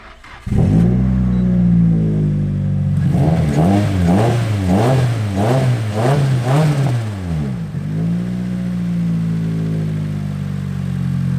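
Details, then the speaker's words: Nissan S14 with aftermarket cams, on a cold start after a new earthing cable was installed: idle hunts and surges unevenly over a lumpy beat. It runs cleaner than before but still does not idle right; cause unconfirmed. Rough idle. "The car's definitely running a lot cleaner now. It's still not idling quite right, as you can hear."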